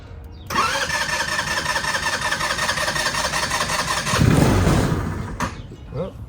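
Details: Moped neglected five years, just fitted with a carburetor and new battery, ignition button sticking: engine catches and buzzes unevenly for about four seconds, swells briefly, then cuts out abruptly; it starts but won't keep running.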